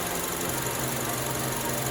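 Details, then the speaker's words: 2003 Honda Element, warmed to operating temperature, after valve clearance adjustment (exhaust valves too tight caused rough idle, stalling, P0301 cylinder 1 misfire): steady, even low hum with no stumbles or skips; smooth normal idle. "lot smoother than before no more rough idles all right cars warmed up operating temp the idle's no longer rough"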